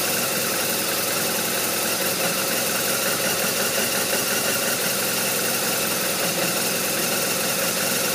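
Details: BMW R1200RT boxer twin idling with an uneven, lumpy beat and clattery top end, rhythm wandering instead of settling; rough idle.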